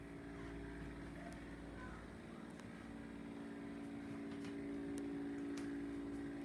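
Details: LG refrigerator running with a loud, steady motor-like drone, much heavier than a normal hum; noise started less than six months after purchase and took three repair visits to fix.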